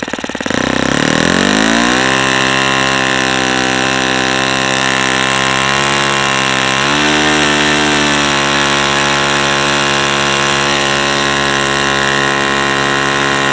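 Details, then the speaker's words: New OS FS-40 Surpass four-stroke glow engine on its second run: high-rev scream with a harsh, rattly edge as the high-speed needle is accidentally leaned too far, causing knock at that rpm. "the other thing I'm doing by accident is leaning it out too much and it's starting to knock so it doesn't like that RPM"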